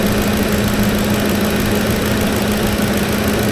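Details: Engine idling before trying Lucas additive: a steady rough idle with a dull, even knock underneath at a constant rate, suspected worn bearings.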